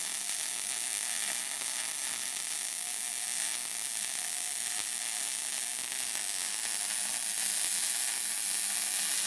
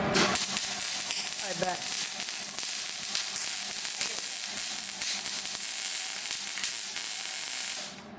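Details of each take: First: Beginner MIG welding on a car's tube front: even, unbroken hiss and crackle without pops or gaps, a steady MIG bead, better than the previous attempt, a little goobery at the end. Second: You're moving really fast. Yeah. You want to move it really slow. That's why it's really. Goobery.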